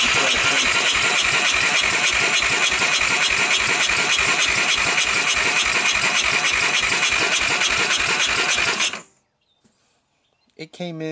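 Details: 1998 Honda TRX300EX single, abandoned about a year, wet compression test after oil squirted in the cylinder: steady soft cranking about 200 beats a minute, reading about 80 after a dry 65, judged enough to start.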